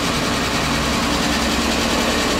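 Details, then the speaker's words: Kia Rio after stiff clutch pedal repair, engine running at fast, light idle: busy metallic rattle over the idle with no change in speed, "more rattles than a millionaire's baby"; engine rattle at idle. "listen to that. More rattles than a millionaire's baby."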